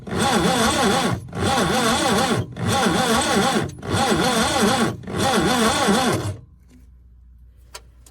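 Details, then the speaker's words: 1988 Subaru Brat/Brumby, complete car being revived at the farm: five cranking bursts with light fast wavering whir, no firing; compression check shows low compression, no start; owner suspects stuck rings or bad valves. "So if I put my finger over the hole, right, and then crank this thing, it should blow my finger away, but it won't."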